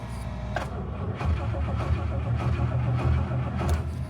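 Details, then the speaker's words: 1967 Rolls-Royce Silver Shadow cold start after storage, 6 a.m. at about 35°F: steady cranking rumble at roughly two turns a second drags on without catching, the hardest-ever start for an engine that normally starts right up; it then runs. "wow it normally just starts right up but it is really cold well that's the hardest it's ever been to start this thing but then again I've never started it at like six in the morning when it's 35 degrees"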